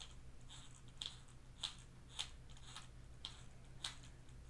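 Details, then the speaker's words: HPI Savage XS Flux RC truck, motor and transmission removed, driveline turned by hand; sharp crunching clicks about twice a second; crunchiness inside transmission, spur gear found missing many teeth; diffs spin smoothly. "I can feel that crunchiness is definitely inside the transmission somewhere."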